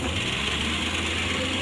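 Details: Suzuki Carry 1.0 petrol that shook, limped and used excess fuel, idling after spark plug replacement: steady, even low hum with no stumble or misfire.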